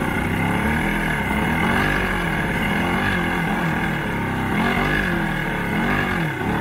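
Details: Old 90hp Johnson outboard on a 1987 Crestliner, sat about a year, fresh plugs: uneven surging running that stumbles and recovers, only kept going on starting spray; hard starting, carbs to come off and fuel lines to be cleaned.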